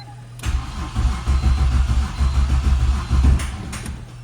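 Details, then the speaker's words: Turbo E46 BMW ZHP after ECU swap, tune with EWS delete just flashed: steady cranking about two turns a second for three seconds, never catches; crank no start, owner suspects no spark, ignition problem. "It's like it gets ready to fire. It's like it might not be getting spark."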